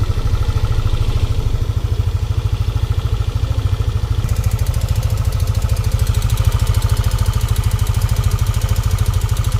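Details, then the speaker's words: Yamaha NMAX V1 scooter before repair; sharp regular ticking about three times a second over the idle, clearer later, very loud; top-end tick (lagitik), others blame bearing or rocker arm, cause not yet stated. "Yan, pakinggan natin yung before niya kung anong difference. Napakaingay."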